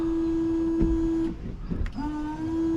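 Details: Range Rover Sport L320 after the cut washer bottle tube was fixed, key on: a steady fixed-pitch electric washer pump hum, briefly interrupted then resuming, but no fluid reaches the windscreen; the owner suspects the jets or a flow restrictor.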